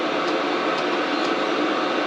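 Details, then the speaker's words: Cheap Chinese diesel heater, test run after tilting the unit at an angle because the fan seemed to hit the casing: steady even fan and burner whoosh, no pulsing or clicks; about a minute in, no error code, hot air, running normally. "no error code yet it's been running for about a minute here all sorts all cleared up"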